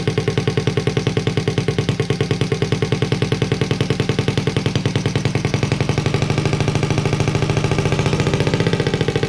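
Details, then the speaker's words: Honda Z50A Monkey bike, CR70 stator with original flywheel, first successful start after fuel troubles, warming up with the manifold disconnected from the silencer: loud, sharp open-pipe bark with a steady quick beat and no misses; small single running healthy. "wow finally well we managed to get it to work and it sounds pretty cool as well in the uh as you can tell the uh manifold isn't connected to the silencer i just wanted to see what it sounds like without it"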